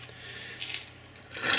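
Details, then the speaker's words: Gritty, scraping rasp as the shaft of a Wheel Horse sickle bar mower is turned by hand with the bearing holder bracket removed: rough, dry, worn bearings needing lubrication or replacement, found during a belt replacement. "you can hear how the bearings sound not good, so I'm going to address that and go up and look through my belts and see if I got one or two."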